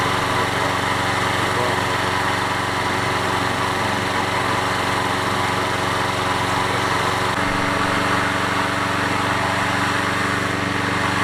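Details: Toro 20789 mower, worn Briggs & Stratton Intek engine, after setting valve clearance: steady even run without misfire or tapping; restarted more easily with only a slight hesitation, normal running.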